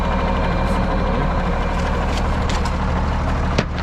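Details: Diesel loader running for a minute after hydraulic hose reconnected and oil refilled, before bleeding air by turning the wheel: steady, even drone with deep low hum, no knocks, misses or whine; running normally.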